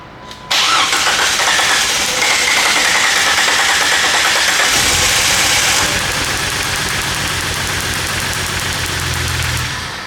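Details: 1998 Jeep Wrangler 4.0L inline-six that sputtered and died at a stoplight; long crank, then catches and runs briefly before dying away; spark and injector signal present, weak fuel delivery from failing pump.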